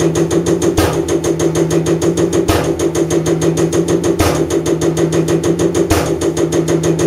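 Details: Common rail injector on a calibration bench running over 500 shots, after turbo failure burnt oil and raised combustion temperature; crisp, evenly spaced ticks about three per second with a regular heavier pulse; injector firing consistently, normal running.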